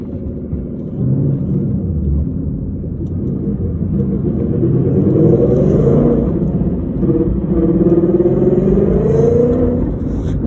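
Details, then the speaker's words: 2014 Ford Mustang with Whipple supercharger, MT82 Getrag 6-speed manual with Barton short-throw shifter, 37,000 miles, while driving: loud wavering whine rising and falling with road speed on accel and decel, gone with clutch in; failed transmission. "2014 MT82. Massive whine. Barton short throw shifter. Massive whine."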